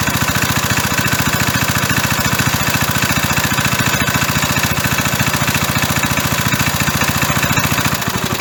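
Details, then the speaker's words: 37-year-old Briggs & Stratton single-cylinder lawn mower engine, first start after about 37 years sitting, hard starter helped with carburetor cleaner: crisp, even putter at steady fast idle, no misses or knocks; normal running. "foreign sounds good"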